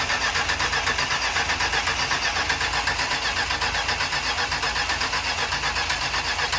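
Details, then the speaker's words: Vintage motor home engine converted to modern EFI: starter cranks in an even pulsing rhythm, about 2.5 pulses a second, but never fires; battery voltage seems good, fuel pressure drops to about 2 PSI while cranking, too low for EFI. "fuel pressure still feels like nothing. I don't see enough fuel from that. All right, now we can get back to our original issue of uh not enough fuel pressure."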